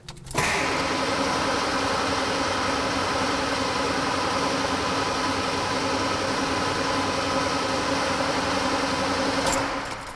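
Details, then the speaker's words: Ford 200 cubic inch engine with a freshly rebuilt Motorcraft/Holley one-barrel carburetor, coil grounded so it won't fire, cranked to fill the fuel bowl: steady starter churn about nine seconds with even turnover, no firing; cranking, no start. "so this way I can crank the engine it's not going to fire off the ignition and it'll fill up the fuel bowl for me"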